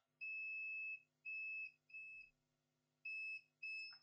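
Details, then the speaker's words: Acer Aspire E1-571 no-power board, continuity test on the main 19 V line with the original LVDS screen cable plugged in: five sharp high meter beeps; 19 V line shorted to ground. "The capacitors are beeping to ground. And if you plug in the power supply with this original LVDS cable for the screen, we have a short there. It's shorted."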